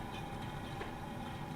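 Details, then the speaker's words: Audi A4 that shakes and leaks coolant, running in gear with the wheel spinning: low rumbling crunchy growl with faint constant hum from the rear left; bearing not loose; worn rear left wheel bearing. "A little crunchy. Bad a wheel, but it's not loose. It's just crunchy."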